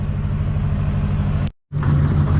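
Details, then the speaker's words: Ford F450 with a heavy, lumpy, uneven idle and a brief cutout. It is worse in rain. The owner plans a scanner cylinder-contribution test. "You can definitely hear in its idle that it is not pleased, not very happy."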